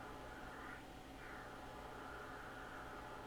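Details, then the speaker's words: Yaesu FT-101 transceiver on AM with an S9 800 Hz signal-generator tone injected: only low even static hiss, no tone heard, receiver barely picking anything up; hot chassis suspected. "Let's uh let's try putting a signal back into this thing if you can hear that we do have some static"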